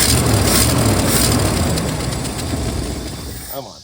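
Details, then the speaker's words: 1964 Mercury Marauder 390 V8, long-sitting, after restoring spark and fuel: engine catches and runs a few seconds with steady thumping beat, then dies; leaking hose fitting sprayed fuel on coil wire, small fire. "It must be getting gas now. It's trying to run."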